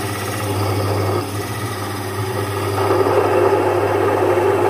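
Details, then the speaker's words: Domestic stone flour mill, single-phase 1 HP, grinding jowar into good-quality flour with the stones set tight. Steady motor hum with an even, gritty grinding rush of grain between the stones, no knocks or labouring; normal grinding. "तर आपण पाहू शकता अतिशय चांगल्या क्वालिटीच दळण ज्वारीचं ह्या एक एचपी मॉडेल मी करून तुम्हाला दाखवलेलं आहे."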